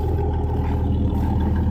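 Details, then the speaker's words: Fox-body Mustang inline six, stock cam, Motorcraft 2100 carburetor swapped for the one-barrel, no emissions, dual exhaust with chambered mufflers, heard from the rear: steady even deep idle rumble with no knocks or misses, healthy. "Because it has a sweet, sweet exhaust tone. You know, and like, because you hear it back here. Now this is stock cam still in the car."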